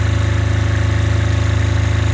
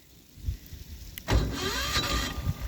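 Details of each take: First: Apache diesel generator in an ice storm, pushed to its absolute limit at about seven thousand-plus watts and about 210 volts, smoking: deep, fast, evenly pulsing drone held at constant speed without stumbling, working hard but running steadily under full load. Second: Apache diesel generator, cold in icy weather, started by remote after a heater was put on it: starter cranks briefly and nearly catches with a short rough surge, then dies; no start blamed on a stuck fuel shutoff.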